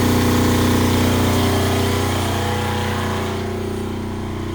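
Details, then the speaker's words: Kubota GL7000 diesel generator under about 1.7 load. Its governor was adjusted down from 63.7 Hz to about 61 Hz. It gives a steady, even drone that holds speed and eases only slightly: normal governed running under load. "okay so I tweaked it just a little bit more and I got to about 61 Herz which I think is good for a running"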